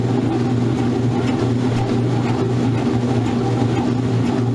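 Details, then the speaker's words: Modern Roper washer on spin with an unbalanced load: steady low motor drone, strained but no banging. Washer labouring and struggling; owner considers adding a little water. "It already sounds like it's struggling. You ready for this? It's going to kick itself off balance."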